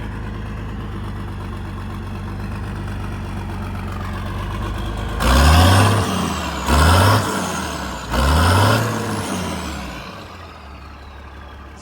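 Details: International 1468 tractor without its V8, diesel idling: steady low idle with a few short rising-rev surges settling back smoothly, no knocks or rattles; sounds healthy, though brakes and steering are weak from a suspected weak MCV pump.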